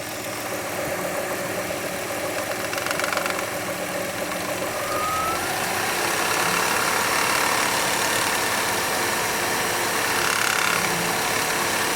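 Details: 2003 Hyundai Tiburon idling with a light, quick rattle from the timing belt area that comes and goes, sometimes silent; owner wonders if the tensioner or belt causes it, unconfirmed.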